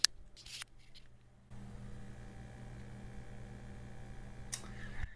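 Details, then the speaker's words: Second of three Atari 800 computers, same power supply and audio/video cables: low steady mains-pitch hum quietly under the audio output after switch-on, less than the first unit but present. "it's a little humming in the background not nearly as bad as you heard on the other one but it seems to be present"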